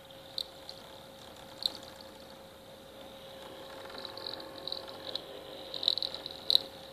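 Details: PS3 suddenly squeaking at the end of a Black Ops 2 game and no longer reading discs since: faint steady hum with irregular high-pitched squeaks and chirps from the disc drive.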